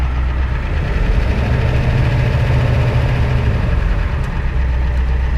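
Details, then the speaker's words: 1993 Ford E350/E450 box truck, 7.3 IDI diesel, idling then revved: deep, even rumble that swells and settles with no knocks or rattles, no smoke or blow-by; healthy engine. "This engine is really healthy. It sounds like an IDI, it runs like an IDI, and it's gonna run forever."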